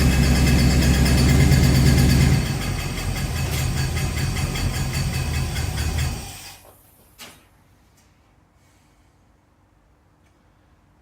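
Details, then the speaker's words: 1969 Plymouth 318 V8, first start after a months-long engine teardown to replace the rear main seals: a steady tick-knock about four times a second at idle that stops when the engine shuts off. Source unknown. "I think I found the single worst sound you would ever want to hear after starting it back out I need some help what is this sound"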